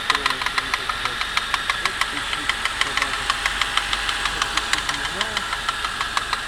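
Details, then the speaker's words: J20A 2.0 L inline-four (Suzuki Grand Vitara 2.0, 2008), 87,000 km, cold idle: sharp regular knock about three times a second, lasting 3–5 min and gone when warm or preheated; owner suspects spun crank bearings or piston skirt slap, unconfirmed. "буквально недели-две назад, 3, появился такой стук не постоянный, на холодный."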